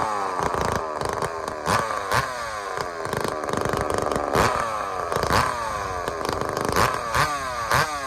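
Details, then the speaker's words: Rebuilt chainsaw after blown-up connecting rod failure and broken bolt: crisp high-pitched two-stroke revving in quick bursts, clean and even between blips; sounds healthy. "so let me show you what tasmanian saul sounds like right now it sounds healthy to me you tell me what you think"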